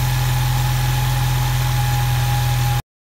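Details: 2016 Ford Mustang EcoBoost after replacing the fuel pressure sensor for codes P018C and P144C and priming the fuel pump: starts and settles into a smooth, steady idle with an even low hum, no stumbling or hunting; normal idle.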